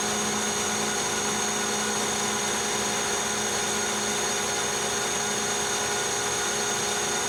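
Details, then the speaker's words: Lathe high-speed turning of hardest-state heat-treated 4140 chrome-moly steel, 0.010 depth of cut; steady even high whir, no chatter or squeal, almost mirror finish with no feelable imperfections; normal cutting. "we get the the best finish from my point of view it's almost mirror finish"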